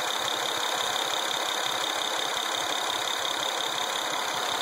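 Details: Acura TL engine: uneven tapping near three beats a second over a steady idle with a hissy top end; something sounds wrong, cause not yet found.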